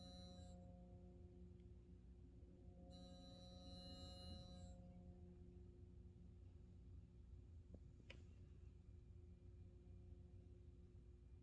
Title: Burnham buzzing sound